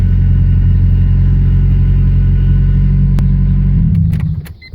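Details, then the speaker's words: EK Honda Civic after adding a 12V 30A fuel pump relay with 12-gauge wire; deep, steady, even idle rumble with no misses or knocks, then the engine winds down and stops; the relay fix worked; normal idle. "See, you can hear the fuel pump. All right, she's on. So it worked."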